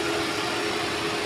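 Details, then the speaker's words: Wuling Confero at idle after fitting a new Denso compressor custom-mounted from a 2012–2015 Avanza/Rush: clutch engages and cycles off neatly, steady idle with an even, quiet mid-pitched compressor hum, no knocking or grinding; compressor runs smoothly. "Iya nih ya dengerin nyeteknya ya itu kan lagi berhenti tuh halus suara kompresornya juga engak berisik karena ini masih baru ya"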